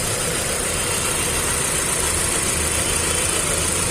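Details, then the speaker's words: Hyundai i20 petrol engine at idle with low pickup: uneven, lumpy beat and steady hiss, one cylinder not firing; unplugging coils shows cylinder 1 makes no difference. "तो हमने गाड़ी start किया और इसमें बहुत ज्यादा missing है कोई तो भी एक सिलेंडर चल रहा नहीं इसका इंजन मिस फायर है"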